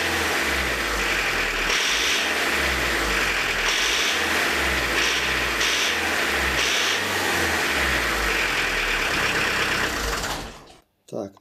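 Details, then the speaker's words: Diesel with Lucas DPC injection pump, timing set about 1.5 mm early from TDC, at idle: hard harsh clatter with uneven surging lumps, shaking, poor throttle response; injection timing over-advanced. "Сейчас будет очень жестко наработать. Все, жестко работает, на газ не откликается, смотрите. Ну, плохо, тупой стал."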